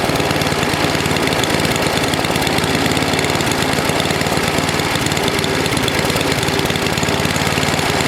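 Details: NOMA 8hp snowblower single-cylinder engine with the plugged gas line blown clear, warmed up for an oil change: a steady, busy beat at constant speed with no misses or surging. It runs okay.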